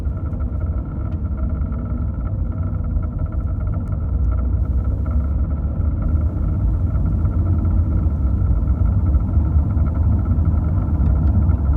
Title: Strange noise from Cayman 981 engine